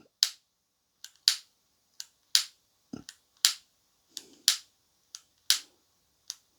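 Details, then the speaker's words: Parkside 3-in-1 gas soldering iron set, first lighting attempt: about a dozen sharp dry clicks at roughly one per second with no whoosh of flame catching; igniter sparks but gas fails to light. "well that doesn't work I'm going to try that for more than a couple of seconds"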